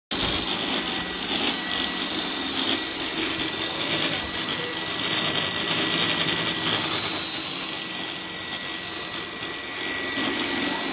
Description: My parents' Roomba started to making weird noises this week. Earlier it never happened. Generally, the noise start when Roomba is turning.